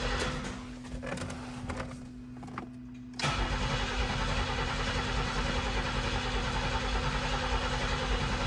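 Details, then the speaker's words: 1990 Pontiac 6000 SE AWD after sitting 20+ years, engine reassembled with old fuel injectors, intake gaskets not replaced: starter spins steadily several seconds with no firing; no fuel pressure, owner suspects something left unplugged. "All right, maybe I forgot to plug something in. No fuel pressure again. Interesting."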